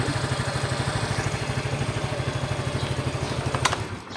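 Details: Yamaha Mio i 125 (M3) after rocker arm replacement, test 3: soft even putter about three beats a second, no ticking on top, then shuts off; quiet healthy idle, rocker tick gone.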